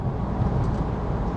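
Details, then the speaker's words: VW T5 van on a test drive after front wheel bearings were pressed in, with the rear bearings done earlier. Steady low drumming rumble on a rough road that goes quiet on smooth surfaces. Cause not pinned down. "it's noisy. If you're on a smooth road, it's really quiet and completely goes away."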